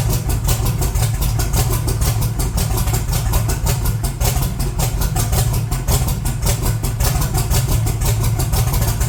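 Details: 1982 Chevy S10 V8, cold, long unused: rough lumpy idle with irregular missed beats from a horrible misfire; vacuum very low, no high idle so not a vacuum leak.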